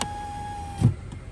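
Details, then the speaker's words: 2011 Kia Sorento with a new window motor and the old door panel switch refitted: auto down, auto up and control down all work, a brief steady hum then a soft thud as the glass seats; auto up is a little touchy. "the auto down works good auto up works good control down's fine"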